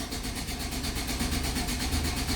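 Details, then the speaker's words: 2005 GMC Sierra 4.3L V6 2WD: fast, even starter cranking throughout but never fires; crank-no-start. Fuel gauge doesn't rise and no fuel pump sound heard; owner suspects an electrical fault. "now it won't start. See that? So there's something definitely electronical going on with this thing, because that's what I noticed the other day."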